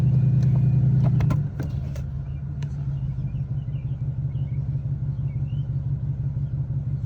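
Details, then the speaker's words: 2001 Cadillac DeVille after P1404 EGR repair and codes erased: engine holds a raised, even idle with a loud droning hum that drops away after about a second, high idle because the secondary air system is running; normal. "okay so now we should be good and runs high because of the uh air system secondary air system"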